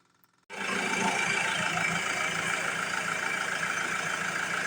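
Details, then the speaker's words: 2007 Ford Transit Mk7 2.2 TDCi with stalling and rough idle, after the fuel system is bled via the clicking lift pump: silence, then the diesel catches within a moment into a steady, even clatter. A normal prompt start. "it started right up. Let's see now if it stalls."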